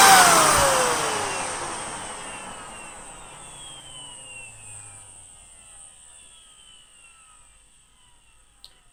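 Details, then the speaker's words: Miele Callisto S5281 vacuum switching off: motor spins down with falling whine and dry gritty hiss, indicating dry motor bearings; speed variance also seen, carbon brushes possibly at fault. "right you hear that wine down so we definitely have dry bearings and did you hear the anemometer wine actually change speed"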